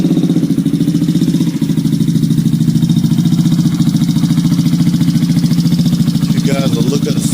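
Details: Idle of a 2013 Yamaha Zuma scooter with a GY6 engine swap, after a new stator, starter solenoid and fuel pump were fitted. An even, steady single-cylinder putter of about three and a half pulses a second with no misses. Clean, healthy idle.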